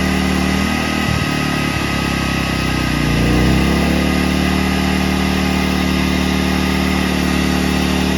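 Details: A-iPower SUA2300i/SC2300i inverter generator that would not start, after carburetor cleaning: it catches after a few cranking pulls and settles into a steady, even idle with no misses or knocks. Running normally.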